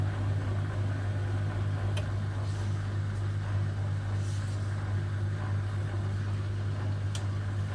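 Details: Hotpoint Aquarius WMA58 washing machine on a test spin: a deep, steady roar and rumble with no smooth hum underneath. The drum bearings are worn out, and the machine was scrapped because of them.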